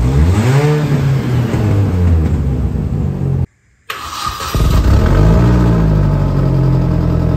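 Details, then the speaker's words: Mini exhaust with holes drilled in silencer tube and catalyst, before welding them shut; loud, raspy, blatting exhaust swelling with each rev instead of a muffled note; exhaust leak from holed catalyst and silencer. "il s'est dit je vais percer un trou ici et puis il s'est dit non ça suffit pas je vais repercer un trou dans le catalyseur donc bon ça fait un bouquamp pas possible ma voiture c'est pas une voiture de rally euh j'ai pas envie que ça fasse ce bruit"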